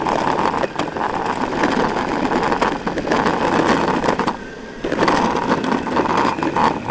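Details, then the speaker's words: Meepo V5 electric skateboard ridden on the road: rough, clattery rattle with sharp ticks over road rumble from the back of the board; rider suspected loose trucks or a wheel but found nothing on checking; loose rear truck hardware rattle. "ted to notice a really bad rattle coming from the back of the board sounded like the trucks were loose or one of the wheels was loose"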